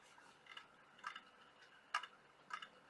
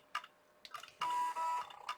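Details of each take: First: IBM ThinkPad 390 laptop at power-on: the hard drive gives irregular sharp clicks and clunks about once a second in a quiet room, sounding worn. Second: IBM ThinkPad 390 laptop at power-on: a few quiet ticks, then a short buzzy stepping whirr of about half a second as the floppy drive seeks normally during boot.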